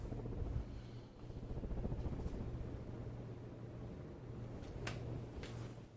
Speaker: I don't even hear any bearing noise in one slight bit. Frankly, I don't hear it with the blades on, but I might consider replacing the bearings.